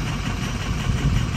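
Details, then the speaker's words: 6.0 Powerstroke diesel truck, long-sitting, injector cut-out test at idle: low idle with uneven, lumpy beat; disabling injector 5 gives no change in idle, so injector 5 is dead and needs replacing. "Now you go injector 4. We're gonna disable it. You can hear a difference. So injector 5 ain't doing nothing. So she needs an injector."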